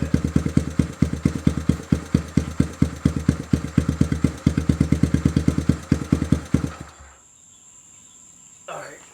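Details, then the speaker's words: 1979 Honda Trail 90 single-cylinder after a carburetor cleaning, warm after a short ride of a couple hundred yards. An even, steady putt of about eight beats a second with no misses before shutting off. Normal warm idle. "Alright, I rode it down the street, back, maybe a couple hundred yards and back in. The bike's idling perfect. Sounds good."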